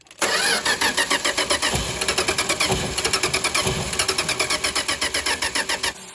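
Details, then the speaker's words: 1962 Dodge Lancer, after carburetor overhaul and points work, ran fine the day before: even starter chugging about eight beats a second for nearly six seconds without catching; cranks but no start, owner suspects ignition. "just from the way this thing sounds I did have a hunch this was ignition related"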